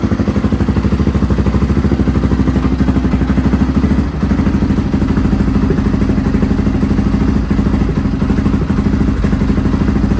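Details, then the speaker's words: Restored Honda XR650R single-cylinder dirt bike, first run after years unused, started in a cold workshop after heating the inlet manifold (kill switch not working): steady even thumping idle, no knocks or clatter, healthy; tiny oil and water leaks noted. "okay so i'm really happy to hear it that's the first time i've ever heard this bike and the engine sounds quiet the exhaust sounds nice"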